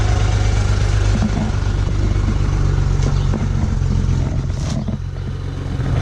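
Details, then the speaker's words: 2008 BMW 335xi, about 88,000 miles, cold start around 7:30 am: uneven lumpy idle with occasional stumbles and slight injector tick under steady drone; rough idle from small misfire, said to smooth out once warm. "it does have a small misfire I could hear it a little bit of an injector tick I set your Eiling rough right now I could hear it sounds like a [ __ ] weird"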